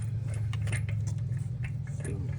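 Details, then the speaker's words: 2017 Infiniti Q50 on a lift with brakes off and rear wheels spinning: steady low driveline drone with quick irregular metallic ticks and rattles, caused by a severed parking brake cable piece hitting the driveshaft; the fix is replacing the cable. "the little piece where is the little piece that was it was basically hitting the drive shaft and making a whole bunch of rackets"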